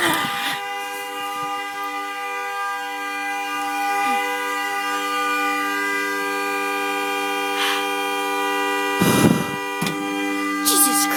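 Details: Car horn stuck on at 2:30 am on a freezing December night, not the alarm, continuing after the car is turned on: loud unbroken two-note blare with a few handling clatters; horn stuck on.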